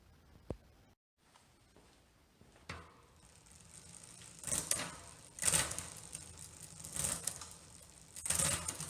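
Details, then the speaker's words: Vintage road bike whose rear derailleur is still twisted after a crash in mud, hanger already straightened: harsh metallic grinding as the chain climbs across the cogs when shifting up; owner wonders about shortening the chain. "hear that grind going up there guys going from here to here do you hear that grind do i just have to uh shorten the chain"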